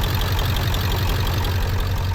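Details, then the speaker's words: Ford 7.3 Power Stroke diesel in a wrecked, long-parked project truck: heavy clattery idle with uneven low knock; owner says on throttle it sounds not hitting on all cylinders and still smokes, something not 100%, cause unconfirmed. "Old rusty trusty Knocky 73, but when you give it throttle, it sounds like it's not hitting on all cylinders. It's still smoking."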